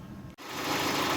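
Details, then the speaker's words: 2004 Opel Vectra C Z18XE petrol with P0303 cylinder 3 misfire codes: shaky uneven idle with puffing chuff at the exhaust; compression 3 bar on cylinder 3 versus 12, head to come off; misfire from low compression. "так машинку теліпає троїть треба розбиратись і от в глушник чу Чутно як пухкає пух-пух пух пух-пух"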